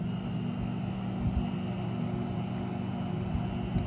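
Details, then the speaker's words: Rheem Performance Platinum heat pump water heater in a garage with the door closed, recorded walking up to the unit: a low, steady compressor hum and soft fan whoosh with no rattles, still quiet, normal running. "so it's still pretty quiet didn't make much of a difference"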